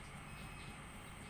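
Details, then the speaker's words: Miyako water dispenser with a faulty pump power supply (PSU) swapped for a test generic "gacun" PSU: steady low buzz with a faint rattle and no water moving, so the pump vibrates but isn't pumping. "saja bergetar di bagian pompa."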